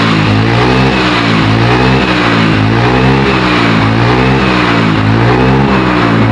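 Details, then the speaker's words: Carburetted Yamaha Mio/Honda Beat-type scooter, hard to start in the morning, heavy starter: revs rise and sag in uneven waves with no pull on throttle; hesitation and bogging from a worn carburettor slide (vacuum) needle. "bener ya, di gas ngempos tarikannya gak ada ya. Pas pagi-pagi ini susah dihidupin, dan udah hidup dia starter juga berat ya, jadi bener ya kayak digas juga ngempos ya kayak, jadi berat banget ya kayak."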